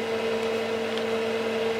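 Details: Keithley 228A 4-quadrant voltage/current source, output tested at 100 V down to 0.1 V, working: steady fan whir with hum tone around 450 Hz and airy hiss; cooling fan a bit loud but otherwise even.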